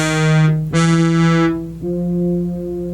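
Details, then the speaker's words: Kawai K3 hybrid synthesizer with six oscillators: held notes at one pitch, but every sixth note, one voice, sounds brighter and buzzier. The timbre is off rather than the pitch being flat, as the seller claimed; cause not yet confirmed. "sixth note sounds different now it's not flat as he described because flat to me means that the pitch is off but rather the timbre is off or the characteristic of the sound"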